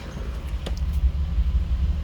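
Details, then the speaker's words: Toyota Supra first start after reinstalling the old fuel tank, long unused: steady low rumbling idle with an even beat, no knocks or misses; coolant temperature rising, oil pressure and idle dropping as it warms; normal warm-up idle. "yeah coolant temperatures coming up okay-ish um oil pressure has dropped idle has dropped"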